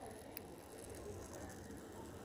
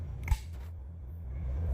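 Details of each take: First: Wall light switch that is switched on gives a steady, faint fizzing crackle, depending on how it is switched, as if about to burn. Cause suspected, not confirmed; the switch was reassembled and then worked normally. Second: Wall light switch after repair: a single crisp click, then only low room hum with no hiss or crackle; previously hissed and crackled as if burning, now quiet and working perfectly.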